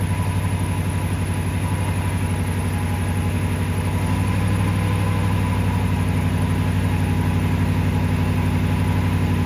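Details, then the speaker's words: Toyota Tundra idling normally after a no-start/slow-crank in cool weather (upper 40s–50s °F) after sitting weeks; boost pack removed and engine stays running, alternator charging at 13.94 V. Steady even idle, smooth low drone. "And yeah, she's still running, so more than likely it is the alternator's putting out."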